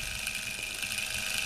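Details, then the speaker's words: Unimat 3 lathe milling head driven by a 24 V DC scooter motor with variable speed control, at constant speed. A steady high-pitched hum with a faint flutter, plus a small tick from the belt join. Normal running. "a reasonable smooth running quiet setup and I think that's just the uh tick from the belt yes as you can see there's H the join in the belt there uh just makes a little tick as it goes around"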